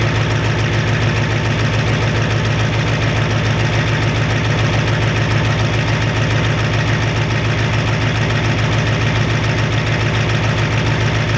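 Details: 1993 Ford F-250 7.3 IDI diesel after turning the injection pump up and purging air: steady even idle clatter, regular beat, no stumbling or skipping; sounds much better, burning a little oil, normal idle.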